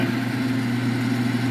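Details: Smoke-N-Seer pellet grill auger motor, tested via controller auger button, wet pellets previously dug out: steady even motor hum, constant low drone, no catching or grinding; auger turns freely and normally.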